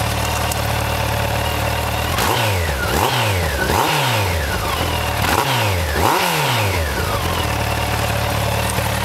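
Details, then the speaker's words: 2003 Yamaha FJR1300 with new Quill T3 carbon fibre/stainless exhaust cans and link pipes, baffles left in: idle then several quick throttle blips rising and dropping cleanly with crisp, strong exhaust note; healthy free revving. "lovely and give it a burst of throttle I think just to let you hear"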